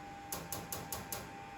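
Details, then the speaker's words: Factory Five Mk4 Cobra before first start, ECU injector test mode enabled and fuel pump on: five crisp, evenly spaced ticks about a fifth of a second apart over a faint hum; the injectors work. "hear that and uh the injector injectors work"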